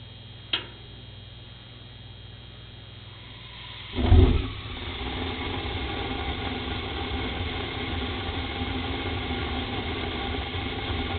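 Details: 1985 Rheem 100,000 BTU gas furnace: gas valve click, about three-second pause, then loud whoomp as burners catch; delayed ignition explosions caused by clogged burner orifices, fixed by cleaning.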